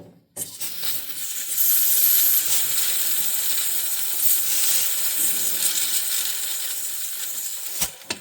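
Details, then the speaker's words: 2006 Ford F-350 6.0 Powerstroke diesel, high-pressure oil system pressurised with air through the ICP sensor port, engine off: steady hiss, forward and deeper-sounding; owner suspects a blown O-ring at the standpipe plug leaking. "So, the sound is a little more forward and deeper sounding. I'm going to re replicate it here for you. I'm pretty sure it's this uh stand pipe plug."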